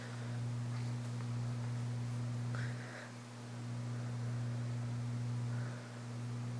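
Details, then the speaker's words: c.1980 Homestead Whisperfan II ceiling fan with a GE motor, on the low setting of the variable speed control: quiet, smooth low hum with no ticking or grinding. Low speed is a bit fast; the fan is in really good condition and the bearings are great. "well low speed is a bit fast the fan is meant it's in really good condition in bearings are great"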